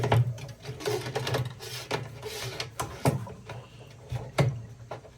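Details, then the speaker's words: EcoWater R40 3002 water softener revived from an abandoned house, torn down and reassembled with a new venturi part, during the brine draw. Soft, uneven sucking thumps roughly every second; it now has suction and draws brine properly. "so it's doing what it's supposed to do now it's got suction and put it back in there you can hear it tucking now"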